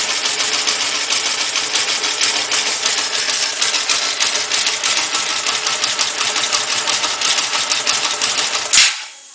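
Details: Cold engine at idle, recorded with the bass removed and no gain added: fast, even, light sewing-machine-like ticking that stays steady throughout. Owner suspects tappet noise and asks whether it is too loud.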